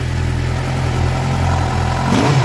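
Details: Suzuki GSX-R750 that misfired at 2,000 km, after fitting new iridium spark plugs: even, steady four-cylinder idle with no stumbles or skips, then a quick clean blip; engine sounds healthy.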